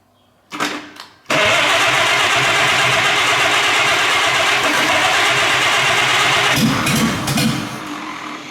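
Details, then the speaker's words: 1930s Citroen barn-find engine after cleaning, with no exhaust fitted and a Bendix throw-type starter: it catches after a brief crank and settles into a loud, even, raspy run with no knocks or misses; running normally. "just she runs sounds pretty sounds pretty good too"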